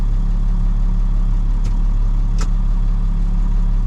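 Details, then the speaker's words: 1998 International 4700 DT466e diesel, warm idle after test drive following high-pressure rail gasket replacement: steady even idle almost 700 rpm, 40 psi, no knocks or misses; normal. "Alright, at idle, almost 700 RPM, 40 PSI."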